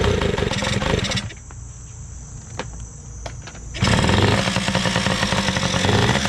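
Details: Two-stroke machine test-run after carburetor work (OEM Mikuni carb reassembled): buzzes hard, falls to a quieter idle, then picks back up crisply without stumbling; runs great, idle could be lowered a little, only the rear tire needs air.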